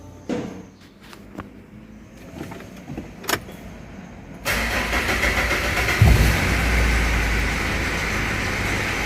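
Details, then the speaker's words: Mitsubishi Pajero Dakar 3.2 direct-injection diesel, check-engine light on, before repair: handling taps, then engine catches into loud clatter with a rattly edge at the front of the engine; mechanic diagnoses worn timing chain. "E aí e olha aí pessoal tá claramente o barulho me indicando que o barulho tá aqui ó na frente o motor EA Corrente Comando tá bem claro"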